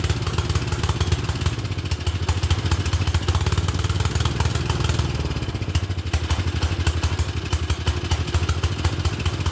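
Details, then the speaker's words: Murray Select 30-inch riding mower with the air filter refitted: a low, throbbing single-cylinder beat that swells and sags unevenly. It keeps running only on choke, which it shouldn't; owner suspects the choke butterfly, not confirmed. "Okay. So, something's going on with the choke. It's running on choke. It shouldn't be, but it's running on choke."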